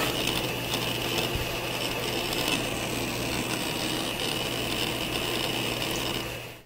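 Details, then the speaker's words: Compaq EN Pentium III 733 desktop hard drive booting: busy irregular ticking and chattering over steady high hum; normal disk seek activity. "the hard drive doing the work it's such a piece of technology amazing"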